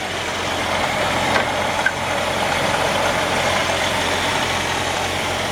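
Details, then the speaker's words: 1956 Jeep Willys 4x4, previously assembled, driven some, then parked in shop: steady even idle with smooth low rumble, no knocks or misses; normal idle. "So yeah, engine runs perfect, and I mean, this was put together and driven some and then parked in the shop."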